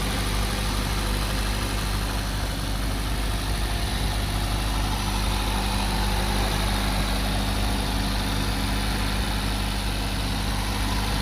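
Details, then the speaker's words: 2023 Maruti Brezza ZXI petrol, registered April 2023, just started and idling: smooth even low idle hum, no knocks, ticks or whine; normal idle, engine quiet and neat. "చూశారు కదా ఇప్పుడు sound అయితే మొత్తం total గా sound మొత్తం మీకు వినిపించట్లేదు ఎక్కడ నాయిస్ లు గాని అటువంటిది ఏమి లేదండి చాలా నీట్ గా ఉంది కార్"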